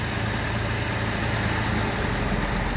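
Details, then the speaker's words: Jaguar Series 1 4.2 with new electronic ignition, cold start after sitting 2–3 weeks. A steady, even idle on choke with a smooth low rumble and no knocks or misses, just before the choke goes off; running cleanly. "We'll hear the engine note change when she does. But that is running so smooth."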